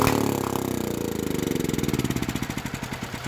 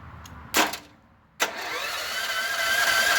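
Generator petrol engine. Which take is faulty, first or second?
first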